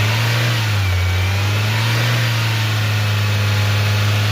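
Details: Maruti Suzuki Ertiga petrol, towed in with engine noise, poor pickup, stalling off-throttle and no start without throttle; after repair, jump-started from another battery, strong even revving with no earlier rattle or stalling, no check-engine light.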